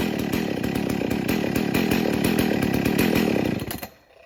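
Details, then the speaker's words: Husqvarna 61 Rancher chainsaw, run on 40:1 mix, about 30 degrees warmer than last run: slow, uneven firing beat around three per second, then dies away; idling a little low, near stalling. "It's idling a little low."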